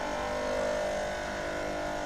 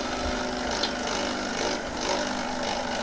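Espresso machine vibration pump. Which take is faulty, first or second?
first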